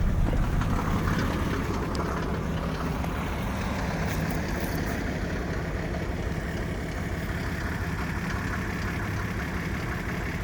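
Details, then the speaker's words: 1987 Mercedes 300SDL OM603 turbo diesel, stone-cold start at 38°F after cycling the glow plugs, idling with a lumpy clatter. An occasional misfire breaks the rhythm with a puff of smoke; misfiring only when cold for about 1.5 weeks, and no coolant consumption. "it's only been misfiring like this for the past week and a half or so and it only does it when it's dead cold"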